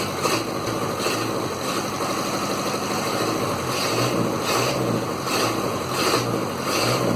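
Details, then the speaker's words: Land Rover Series 2a 88 2.25 diesel, first run after setup: steady, even clatter at idle with soft regular pulse, no stumble or knock; idling well despite blue puffing smoke, owner suspects an injector or piston rings. "But she's idling really well."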